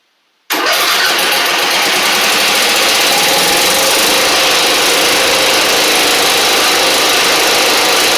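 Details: Husqvarna LGT2654 Briggs V-twin mower engine, in the garage: it fires after a short crank into a ragged, lumpy idle with smoke. The left cylinder is dead despite visible spark; a pushrod, cylinder head or valve guide problem is suspected.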